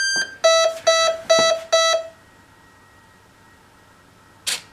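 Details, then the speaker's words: E-Flite 64mm F-15 RC jet powered up with radio on: short run of bright, evenly spaced ESC arming chirps, then silence and soft servo blips as it stabilizes. Normal arming. "so we're going to plug this thing in here we'll get all the Associated chirps"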